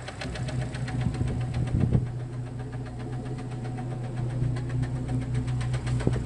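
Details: Jeep Cherokee XJ facelift, 2.5 L four-cylinder petrol engine, skirt broken off the piston in cylinder two: sharp, regular, loud hollow knocking a few times a second over the idle; piston slap.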